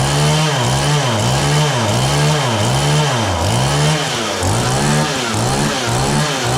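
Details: John Deere CS40 chainsaw after a replacement chain oiler was installed, possibly not fully warm: two-stroke revs rise and sag about once a second, never holding high speed ("womp womp"). It idles fine but bogs on throttle. Owner suspects the carburetor high-speed adjustment.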